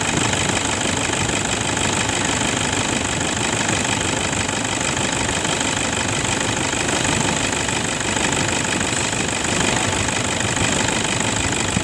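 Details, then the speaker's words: 2011 Toyota Fortuner 2KD 2.5 diesel after replacing worn belt tensioner and idler bearing that caused rough engine noise: even idle with steady regular clatter, no squeal or rattle from the belt drive, much smoother. "hai oh 3S sekarang suara mesinnya jauh lebih halus"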